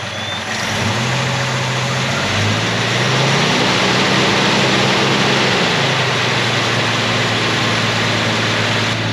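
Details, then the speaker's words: AMC 258 straight six in a 1946 Studebaker truck, just fitted with a cheap eBay BBD-style knock-off carburetor, cold start with choke on: engine catches and settles into a steady, even fast idle easing slightly, no misses or knocks; normal. "all right it's running the chokes on here the top"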